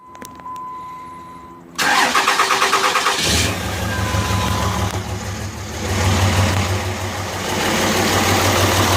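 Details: 2005 Cummins diesel with white smoke: after the crank and catch, an uneven, lumpy idle about three pulses a second; misfire from injector #3, which had passed testing, found by its hotter exhaust manifold.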